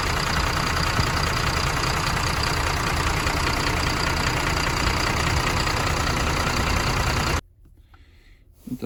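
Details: MAN TGM 18.340 with a D0836 LFL65 diesel, 745,889 km, rebuilt after smoking and no compression in cylinder six, on its first start after reinstallation: firm, even diesel clatter at steady idle with no misses or knocks, then shut off; normal idle.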